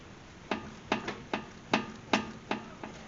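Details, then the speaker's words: 2005 Acura TL with 230,000+ km, raised on jack stands, tire rocked at 12 and 6 o'clock: sharp dry clicks about twice a second; excessive play in the worn upper ball joint, fixed by replacing the upper control arm. "so why are we replacing this there's excessive play in the ball joint and this vehicle has 230 000 plus kilometers on it"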